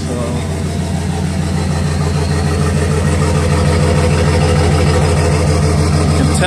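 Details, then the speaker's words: 2010 BMW 335d (M57 diesel) running with injector one synced and the fuel pump reconnected. It idles with a heavy, uneven lope from a dead cylinder, shaking badly, with lots of smoke from both exhaust sides. "both sides spitting out a lot of smoke out of the exhaust and not sure if it's picking it up but there's a lot of there's a lot of [Music] shaking"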